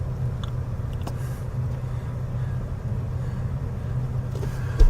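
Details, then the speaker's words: 2000 Chevy Cavalier 2.2 L, three-speed automatic, idling rough: low idle rumble with faint uneven pulse and clicks; scan shows cylinder 1 misfire code P0301, plus an evap code; cause not yet pinned down. "we're getting solar number one misfire p zero three zero one okay"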